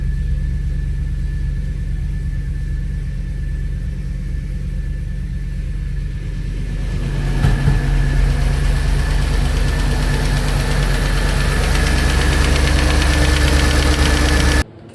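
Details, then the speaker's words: Audi A6 C5 4.2 V8 quattro, first start after replacing non-return (drain-back) valves and repairing intake manifold, no oil in heads: steady idle with quick light ticking up top that fades as revs rise; hydraulic lifter tick until oil arrives. "For sure we must the lifters uh was so present because there was absolutely no oil inside."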